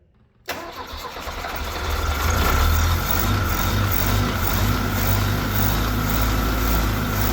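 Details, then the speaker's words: Mustang skid loader engine after new fuel pump, primed, air filter moved aside: starter grinds briefly, then it catches into a heavy, slightly uneven run; engine seems tired, smoking black, suspected low compression. "Holy crap. It's actually doing it. I think the engine's a little tired."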